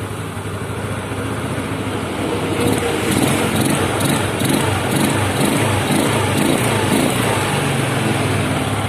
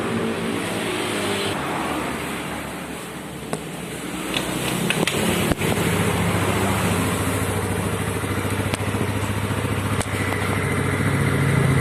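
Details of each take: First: Yamaha Mio Sporty scooter carburetor at idle: unstable idle that coughs, hiccups and small backfires near the vacuum area, intermittent, then stalls or revs up on its own; caused by worn needle jet and vacuum needle. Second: Yamaha Mio Sporty carbureted scooter, previously coughing, backfiring and hunting at idle, after carburetor work: steady even putter at idle, no longer rising and falling or coughing.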